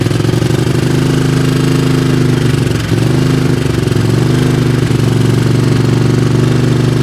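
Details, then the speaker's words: 20 HP Craftsman riding mower that lacked power and stalled under load: loud low idle with uneven stumbling beat and brief dip near three seconds; owner suspects spark problem, possibly loose valves or compression, unconfirmed. "It sure sounds like we got a miss in one of the cylinders here. Oh, if this was a car, it wouldn't sound bad. It would sound a little canned up."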